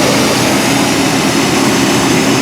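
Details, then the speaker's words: OBS Chevy/GMC 350 small-block V8, 106,000 miles, after new spark plugs, wires, cap and rotor, 45 psi oil pressure, no check engine light, recorded under the hood: loud, steady, even rumble with no ticks or stumbles; normal idle. "Sounds pretty good. Idle's pretty good, so I would say that did a pretty good job."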